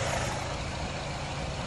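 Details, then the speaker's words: 2011 Nissan Rogue at idle during retesting: short stretch of low, even idle rumble with no stumbles or skips; it doesn't feel like it's misfiring, and the engine idles smoothly. "now i don't feel it that it's misfiring nope it doesn't feel that it's misfiring so we're gonna do the test again"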